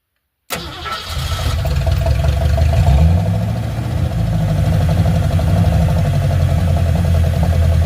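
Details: Ford Fairlane V8 after reinstalling the distributor (the old distributor gear was not meshing with the worn engine gear): catches within a second and settles into a deep, even rumble with no ticking or knocking. Noise gone; normal idle.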